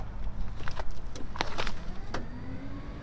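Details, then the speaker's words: 1996 Toyota Tacoma 3.4 crank/no-start after lying on its side: with the circuit opening relay jumped, a thin, steady high-pitched fuel pump whine comes in under clicks and handling noise. "Yeah, now I can hear it. It's that high pitch."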